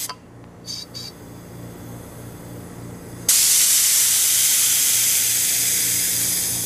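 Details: GE Monitor Top Type CA refrigerator float chamber after needle valve seat recut, blower air applied; faint puffs while closed in normal position, then a sudden loud steady hiss when flipped and the float opens; normal float valve operation.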